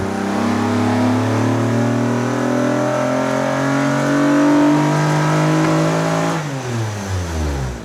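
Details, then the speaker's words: J-swapped Acura TSX Type S (CL9) on a dyno run: engine climbs hard through a rising howl, turns rough near the top and drops back, breaking up at high RPM like a miss; air-fuel ratios fine, voltage above 12 V, owners suspect a bad coil. "It's breaking up at high RPM. We're not really sure what's going on with that. Possibly a bad coil."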